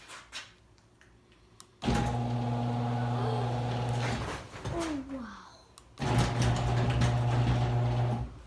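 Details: Screw-drive garage door opener after wiping the screw and applying the opener maker's grease: motor runs in two smooth, even stretches with a steady low hum, no grinding or chatter; sounds properly lubricated.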